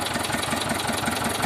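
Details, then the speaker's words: T-25 tractor diesel after repair (new brake drums, final-drive gaskets and two seals, cable throttle, brakes adjusted), just started. Steady, even diesel chug at idle with a regular firing beat, no knocks or rattles; runs normally. "Работає наче нормально, завели."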